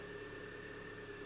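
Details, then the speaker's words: Mini Cooper S R53 after a new auxiliary belt and idler pulley: steady high-pitched whine over a smooth idle at constant pitch; owner concludes it is definitely the supercharger, with a separate ticking also noticed. "So we're back to it. That noise, the high pitch, is definitely out of the supercharger."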